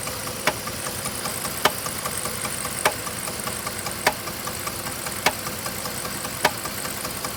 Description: 3.7 liter V6 engine knock help diagnose